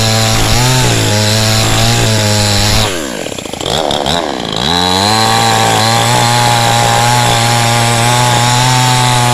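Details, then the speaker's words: Cheap model 5200 two-stroke chainsaw with small chain and bar, cutting wood: strong high buzz dips briefly as the chain bites then recovers cleanly; no power loss, normal cutting. "จากการทดสอบเบื้องต้นนะครับผมพี่โตก็รู้สึกว่าสามารถตัดไม้ได้จริงนะฮะแรงดีนะครับผมกำลังนี่ไม่มีตกเลยนะครับ"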